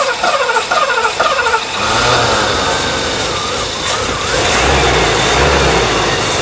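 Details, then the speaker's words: 1984 Mercedes 500 SEL AMG sat 27 years, ignition confirmed fine: cranking whirr catches and engine fires into shaky uneven run only on starting fluid, no steady idle of its own; fuel delivery problem suspected, not confirmed. "all right so we're gonna start it up on the starting fluid and see if it'll continue to run it wants to catch whereas before it didn't do anything at all so here we go"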